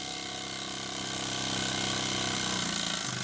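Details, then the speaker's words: Old Mamod toy steam roller, not run in decades, cleaned, oiled and new belts fitted, running on steam: light even ticking and chuffing about four beats a second at steady speed; runs smoothly. "Well, she certainly runs. She's a bit too fast for tabletop, but it runs. And it seems to run very well indeed."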